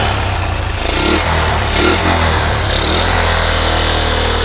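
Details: Yamaha Jupiter MX motorcycle that kept stalling after an engine rebuild, now fitted with an RX Special carburetor: engine catches at once, settles into steady idle, then clean even throttle blips; starts and revs normally.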